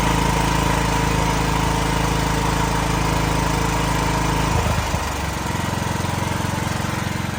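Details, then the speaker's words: Building backup generator during monthly testing with building transferred to it: steady drone with even firing beat, settling lower partway through as load changes; smooth, normal running under load. "Most of the hot air comes out of the exhaust, but it's still pulling hot air over the engine and stuff, right?"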